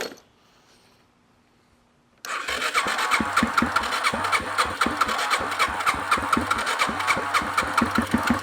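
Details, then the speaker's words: Abandoned 2005 Yamaha TTR230 single, first start after restoration work, with the choke stuck and no throttle: quiet, then it fires into a lumpy, uneven putter, running rough but running. "oh my God it's not happy but it's running"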